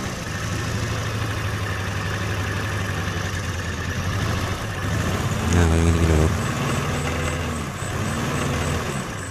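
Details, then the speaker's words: Suzuki Carry Extra petrol engine shaking and using excess fuel: low uneven stumbling idle; spark check showed points fine but one dead spark plug; engine misfire at idle. "kemungkinan ini busi mati atau platina kurang renggang teman-teman Ya"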